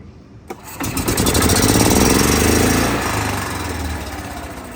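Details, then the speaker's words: Gas Club Car DS golf cart, small single-cylinder engine cranks and runs with uneven stumbling beat, missing intermittently; still misfires with pedal-box micro switch unplugged; rough running. "let's try it again all right still doing it night here so runs all right it run it runs every time what that tells me is that this is bad"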